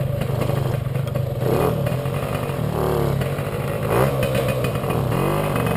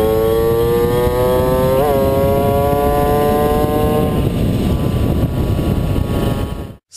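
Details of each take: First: Puch Maxi moped "Jägermeister", 2 HP two-stroke, riding before repair. The engine stutters badly and bucks when pulling away at low revs, with an uneven rise and fall and surges over wind noise. Ignition misfire, not the carburettor: the NGK plug cap has a loose contact and a broken pin. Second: Puch Maxi two-stroke on a test ride after the misfire repair: a clean buzz that climbs smoothly in pitch as it pulls, with no stutter or coughing, then wind noise takes over.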